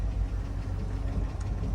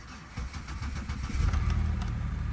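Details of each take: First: 5.3 V8 idling, not fully warmed: low steady exhaust rumble with faint uneven light clatter, typical 5.3 clatter; later a slight knock possibly piston slap suspected; no check engine lights. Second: Chevrolet Impala with salvage title, oil change about halfway through interval, almost no fuel: short starter crank, petrol engine catches and settles into smooth, steady idle; no warning lights on; normal start and idle.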